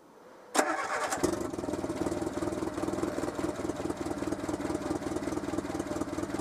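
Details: Renault Super 5 after head gasket replacement, idling for 20-minute run before head bolt retorque: engine catches quickly and settles into a steady, even idle with no knock or misfire; sounds normal, exhaust boxes underneath noisy.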